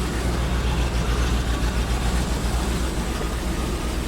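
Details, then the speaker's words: 2001 Land Rover with a misfire at idle, heard after a spark plug was checked and plugged back in: a deep, uneven, stumbling idle with dropped pulses. Codes were cleared; the mechanic suspects plug wires, not the coils. "freaking plug that back in there and see if it starts and runs so kind of sounds about the same definitely misfiring"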